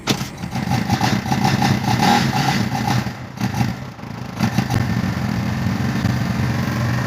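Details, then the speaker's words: Kawasaki Barako II 175 cc single-cylinder sidecar motorcycle started after timing-chain engine timing repair and fresh oil: steady, even idle, clean beat, no chain rattle or ticking; engine noise gone. "the motorcycle engine now is running and we observed that the engine noise was gone when the engine running in normal notes"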